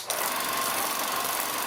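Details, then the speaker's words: Bell & Howell 1500-2500 series autoload 16mm projector after worm gear replacement. The gear reduction gears, which only operate in rewind, were just greased. A quick, even whirring buzz with a light whine and no grinding; runs smoothly. "And one thing I do, you see these down in here, those are gear reduction gears. They only operate when it's in rewind."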